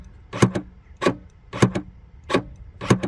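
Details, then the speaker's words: Smart ForFour 454 tailgate (boot) release switch, reassembled after repair with a shuttlecock piece: crisp paired clicks about every half second as the switch snaps in and springs back out; release switch now working. "So let's put it back together and see if we can actually hear this switch moving in and out. So listen to this now. So that's what we want to hear."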